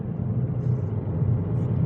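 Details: 2007 Ford C-Max at 60–70 km/h: low steady droning hum over road rumble; hum briefly drops when steering right, so owner suspects the front left wheel bearing, unconfirmed.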